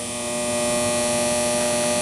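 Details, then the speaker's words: Bi-toroid transformer test rig, primary run at 120 V via inverter; constant harsh electrical buzz over steady hum when pressing a spot, from a poor connection losing energy. "not getting a good connection right there I'm losing energy due to that connection so that's the first thing"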